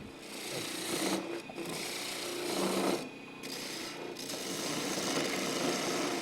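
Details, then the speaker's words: Wood lathe turning a thin finial with a shallow-flute detail gouge: rough rasping buzz with faint steady hum, breaking up as the thinning piece flexes; tool chatter. "Now this is where you start feeling chatter. Hear it? You start to feel chatter because I'm getting thinner."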